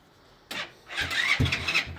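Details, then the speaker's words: Yamasaki RS motorcycle after valve clearance adjustment and larger exhaust fitted, carb unadjusted: few short sluggish cranking bursts with a hiss that never catch; weak battery confirmed as cause, choke ineffective, carb tuning or air leak suspected. "c'était ça c'était bien la batterie"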